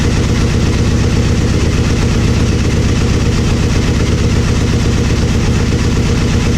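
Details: Aprilia Mille R V-twin idling after fuel pressure regulator and adjuster removal and cracked vacuum line repair: steady, even idle thump, no misses or surging; fuel pump whines until pressurized, then engine sounds fine, normal idle.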